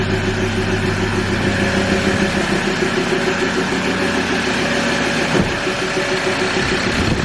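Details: Ford Ranger T6 diesel idling after an EGR cooler bypass and blank, being checked for leaks: an even low clatter that settles slightly after start, with no irregular knocks or hissing leaks; healthy idle.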